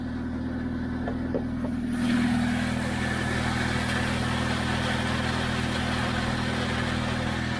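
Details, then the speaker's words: Chevy Spark, no reverse or fifth gear: steady idle hum picks up a rough chattery rattle when the clutch pedal is released in neutral, going away with gear selected; owner suspects the clutch release bearing, not confirmed. "i can also hear what sounds like a chattery um clutch release bearing"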